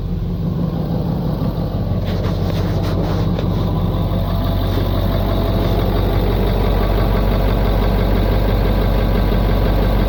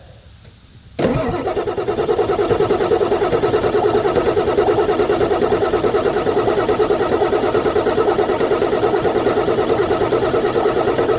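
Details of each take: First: 1996 Ford F-250 7.3 Powerstroke diesel fed from a homemade fuel tank after pulling air through the fuel lines. Steady low clatter about three beats a second, idle holding even with no stumbling; fuel supply restored. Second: 1996 Ford F-250 7.3 Powerstroke diesel, died while driving: ten seconds steady cranking about three beats per second, never catches; fuel lift pump pulling air through a suspected crack in line or tank.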